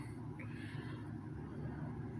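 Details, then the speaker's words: 2006 Lasko 3733 box fan, restored, running on low speed: soft, steady low hum with an even airy whoosh and no ticks or rattles; normal smooth running. "the air range on them really isn't all that great but uh it's the sounds of them you know that that i actually did kind of like"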